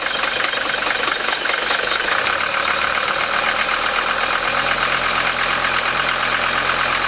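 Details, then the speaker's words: Mercedes 5-cylinder diesel after replacing all five injector nozzles with Bosio nozzles, stone cold start at 51°F after two glow plug cycles: even, steady idle with no pinging, hammering or detonation; smooth normal idle. "notice how smooth the engine is this is just an example of what happens when you've got nozzles such as this one that is absolutely worn out"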